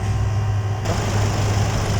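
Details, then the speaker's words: Hyundai D4CB diesel after engine teardown to cure a loud knock traced to worn pistons, idling after rebuild: steady low hum, no knocking. Normal idle, repair successful. "Ito na siya guys ano ah napaandar na natin at kung maririnig ninyo ay hindi na siya kagaya dati na merong malakas na knocking sound. Smooth na po yung kanyang andar at tahimik na po siya guys ano."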